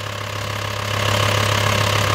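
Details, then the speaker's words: VW T5 Transporter diesel at idle after pump-injector removal, seal replacement and valve clearance adjustment; starts instantly, loud but steady even clatter, no misses or shaking, no smoke at idle: normal healthy idle. "Ну вот работа двигателя такая движок не трясётся стоит"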